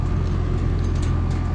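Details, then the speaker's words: Rheem heat pump after replacing a blown transformer and fusing a low-voltage short from frayed reversing valve wires: steady, low, even compressor hum with no rattles or cycling, running normally. "As you can hear, it's now on and running."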